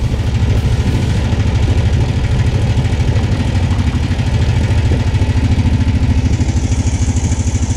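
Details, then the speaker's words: Off-road machine with a new exhaust, just after a cold start: fast, steady single-cylinder idle with a faint light clinking over the beat. The owner suspects the timing chain, but this is unconfirmed; it quieted slightly once warm. Clinking noise at cold idle. "Now, I don't know if you can hear this. That little clinging noise. I think that's the timing chain on this."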